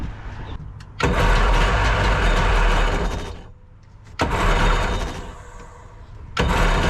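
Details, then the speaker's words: Jet boat engine, missing a hose to the firewall (owner unsure, thinks pressure hose): three short catches roaring up then sagging away, running rich; choke stuck on from a kinked choke line, likely needing replacement. "the choke is stuck on yeah look you can see see have the choke stuck I'm trying to push it in right now but it won't"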